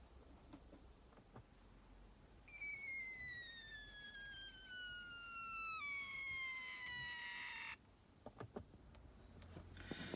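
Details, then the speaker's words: Thetford cassette toilet electric ventilator fan, a few years old, struggling then stopped working: high whistling squeal sliding lower in pitch like a deflating balloon or puncture, then cutting off; failing fan motor, new fan purchased. "it sounds like something on the lines of a deflating balloon or a puncture don't know whether you could hear that"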